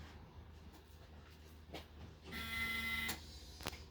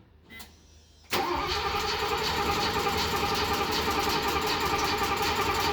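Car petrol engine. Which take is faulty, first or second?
second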